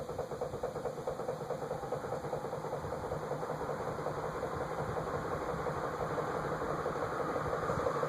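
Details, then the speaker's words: Eagle Fan Corp 2811 retractable-blade ceiling fan. A steady hum carries a regular ticking about three per second that comes from the motor, not the blades. The noise is growing, and a top bearing is suspected. "Yeah, that's the motor making that noise. That's nothing to do with the blades."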